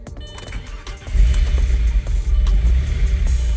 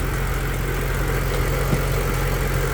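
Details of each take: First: Stage 3 Audi Allroad at first start after sitting about two years, fuel system reworked, not revved: uneven hunting idle with lumpy low beat from an unhooked intake hose; vacuum leak, running improves once connected. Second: Stage 3 Audi Allroad, fitted with a by-pipe (map sensor raised), fuel nearly empty: even, steady idle with no ticking, knocking or belt squeal; engine sounds smooth and healthy.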